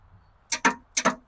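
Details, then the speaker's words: Long-abandoned 1966 Ford Ranch Wagon ambulance, revival attempt: sharp paired clicks with no cranking, starter solenoid clicking but starter not turning; Bendix not engaging or seized suspected, not confirmed. "Starter solenoid is what makes the clicking noise when you go to start it."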